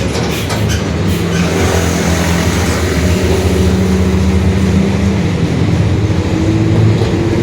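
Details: 2021 Marcopolo Torino S bus on Mercedes-Benz OF-1721 Bluetec 5 diesel chassis, extended length, onboard while cruising: steady low growl under the diesel drone, rising and falling with road speed, a growling rear differential.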